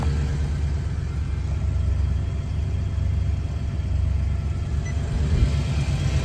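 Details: 2019 Nissan Titan V8 just started during cosmetic paint work: smooth, even low idle with no tapping, misfire or whine; engine sounds healthy, with only a door light on the dash.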